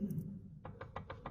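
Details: Bentley Continental GT Cabrio steering: a quick run of six hollow knocks, about six a second, heard in the cabin near the column even with the engine off, from radial play in the steering rack; tie-rod joints have no play.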